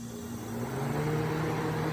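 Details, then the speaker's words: Vintage Sears Coldspot 28 dehumidifier, cleaned and dried, run briefly with shroud off; steady low hum with faint whine settling to an even pitch as it comes up to speed, coil already getting cold; normal running. "it's running and yes I know shouldn't really run this thing with the Shroud also not gonna do it for super long I just want to check"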